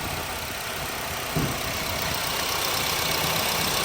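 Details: Honda City that shook, wouldn't exceed 2,000 rpm or 40 km/h and flashed the engine light, idling after one faulty ignition coil was replaced and injectors and plugs were checked: steady even idle, no stumble; engine light off, running cleanly.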